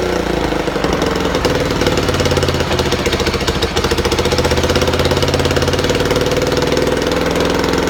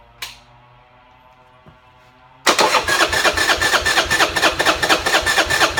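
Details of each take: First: Buell Blast started with a shot of starter fluid through a small drilled hole, since there is no working choke enrichment: a single cylinder fires at a fast, even chugging rhythm with no misses; runs well. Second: Buell Blast single-cylinder, cold, auto choke enricher not working, no starting fluid: starter cranks unevenly about twice a second but engine never catches; won't start without choke or starter fluid.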